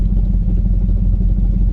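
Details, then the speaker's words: 1968 Buick Wildcat sitting in park: heavy, steady low rumbling clatter continues; not exhaust; owner suspects internal automatic transmission failure. "think our transmission, this one's toast. That's parked right now. That's something inside taking a shit."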